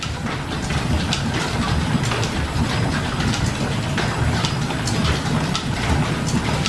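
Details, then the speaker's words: Governor-controlled slide-valve steam engine driving line shafts and leather belts in a 1925-style machine shop, starting with slight throttle as the slide valve snaps against the ports: soft steady rhythmic clatter over low rumble, unlabored, no knocks; normal running. "it just takes just the slightest little bit of turn to the throttle you will hear the slide valve kind of snap up against the ports and it takes right off"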